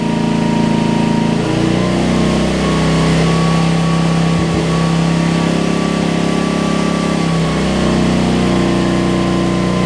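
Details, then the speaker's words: Homelite LR4400 generator after carburetor replacement, running under load: speed sags and recovers twice as the hum drops then climbs; the governor is slightly out of place, making revs race then drop, and needs adjustment. "They can just barely get out of place, and they'll start screwing up like that, where they be racing and then they would drop a ton of RPMs, and so that's what happened with this one."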